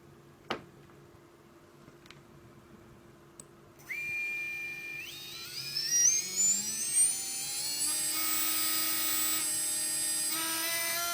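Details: Readytosky 1804 brushless quadcopter motor on a vibration test after calibration: a thin rising whine levels into a buzzy, unsteady tone. Bad bearing vibrating; magnets reportedly come loose from vibration.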